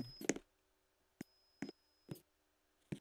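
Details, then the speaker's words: Montgomery elevator car at a MAX station: sharp isolated clicks at irregular intervals with a faint high beep at times; ordinary door sensor relay clicking. "you can hear the the relay click for the sensor I can hear the beeping can you hear the click"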